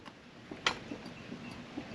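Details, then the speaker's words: Land Rover LR3/LR4 (Discovery 3/4) right front hub rocked by hand gives faint irregular ticks from play in a worn wheel bearing, to be replaced along with brake discs. "It's moving back and forth, so this wheel bearing is definitely, you hear like ticking in there already just by when I'm pulling it."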